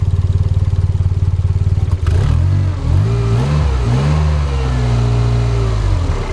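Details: Toyota MR2 with a Gen 4 3SGTE swap, just after changing the spark plugs and refitting the coil packs: even idle, then clean revs that rise and fall smoothly with no misfire. Normal running.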